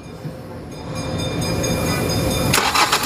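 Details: Hyundai Accent CRDi that would not start; the battery was good and the starter bad, and after the starter work it cranks strongly and evenly for a couple of seconds, then catches and runs.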